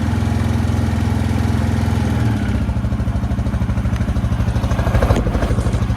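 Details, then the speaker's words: Yamaha Grizzly 600 ATV after sitting upside down 25 ft underwater overnight, oil drained and refilled, new electrical, started on two pulls: even single-cylinder thump about two beats a second, steady and clean; healthy idle, back to normal. "two pulls when this thing started so I'm definitely going to go to conclusion and say this thing's back to its normal self"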